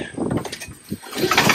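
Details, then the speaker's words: Free Craftsman snowblower with dry gas tank and dark oil: uneven chugging as engine is turned over, each stroke pushing back firmly; cranks with good compression. "turns over sounds like it has compression the gas tank is dry completely so that's good"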